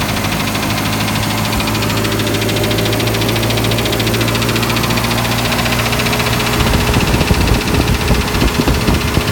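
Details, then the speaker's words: 1984 Nissan 720 with Z24 engine, warmed up after a valve adjustment for a ticking noise: steady, quiet idle with an even beat and no tick standing out; normal warm idle. "Okay, this is what I have after some valve adjustment. Sounds a lot better at idle. It's warmed up now, so it's quieter than last time."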